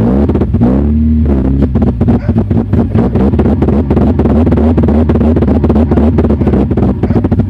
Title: 2000 Honda CR-V B20z Runs / Misfires / Stalls